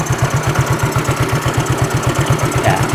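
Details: Fuel-injected scooter running with the air filter removed while carb cleaner is fed into the intake to clean the throttle body: single-cylinder thump about seven beats a second, slightly uneven; idle is stumbling.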